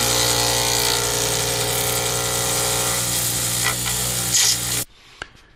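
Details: Zodiac pen kit with D-shaped circuit board pen blank being turned on a lathe: steady high whirring with rapid clattering clunk twice per turn as the tool hits the corners; normal clunking for a D-shaped blank.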